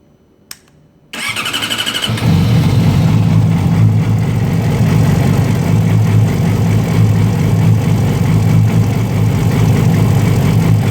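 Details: 2008 Yamaha R6 with Two Brothers slip-on exhaust: loud, uneven idle that pulses and stumbles, rpm bouncing even warm and worse cold, plus some ticking; rough unstable idle, cam chain tensioner suggested but cause unknown.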